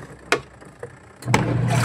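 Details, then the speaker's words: Washing machine on a home service call, after repair with the wash timer turned to test for noise: a couple of sharp clicks, then the motor starts with a steady low hum, no rattle or grinding, now running quietly; normal running. "Ayan, tahimik na mga kabuting-ting. Okay na to, boss."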